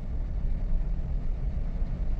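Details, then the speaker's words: 2015 Yukon after its swapped upstream/downstream oxygen sensor connectors were corrected: deep uneven shaking rumble surging worse until it stalls; rough running misfire, codes then show bank 2 sensor 1 oxygen sensor and engine misfire. "esa era la queja del cliente que que temblaba bien feo y no sé qué y empieza a temble temble temble y se apaga"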